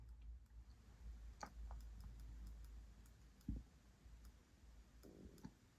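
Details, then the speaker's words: Kemper Power Kabinet (IcePower 300AS1 amp module), second unit doing it, powered off; after switching off wall power the bulk capacitor falls from 164 V and faint irregular clicks over a low hum continue until about 20 V; cause unknown. "Now, when I switch off wall power, we'll see that capacitor gradually going down. Noise is still there. But once this gets to about 20 volts, it will cease."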